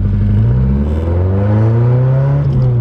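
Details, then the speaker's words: Car checked for misfire and timing, driving after new NGK G-Power spark plugs replaced V-Power ones: engine note climbs cleanly under more throttle, no stumble, pops or bogging; pulls smoothly with power, no misfire. "okay that does sound a lot better and it does if i if i were to put like put my foot on the gas a little bit more uh yeah you guys can it does have power so not bad not bad"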